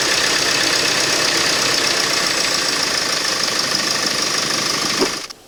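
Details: Mercedes Sprinter 2.1L 4-cylinder diesel, started after coolant temperature sensor replacement to check for leaks: the engine fires and settles into an even, steady diesel clatter at idle with no misses or knocks, then shuts off. It sounds healthy.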